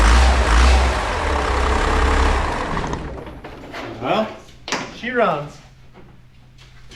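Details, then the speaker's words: 1949 off-road rollback truck project with diesel engine, just first started: settles into a steady low idle with no standing-out knock; runs normally, though it makes black smoke and intercooler piping is still unfinished. "it makes black smoke we gotta get intercooler still dealt with some piping but hey she runs"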